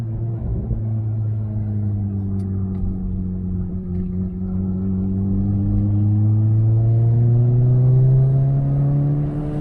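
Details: Turbocharged Toyota Corolla accelerating after a fuel system upgrade with a new fuel pump and pump assembly; deep smooth note rising steadily in pitch, no misses or rattles, running healthy.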